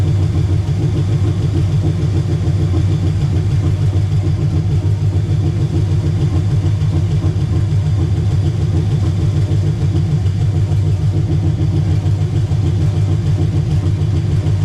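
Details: Chevelle (1968 per title, '69 as spoken) with an LS swap, first start after finishing the wiring, about 40 psi oil pressure: a loud, even V8 idle with a steady low beat and no knocks, misses or hunting. Normal idle.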